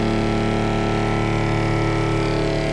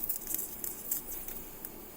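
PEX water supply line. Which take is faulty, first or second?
second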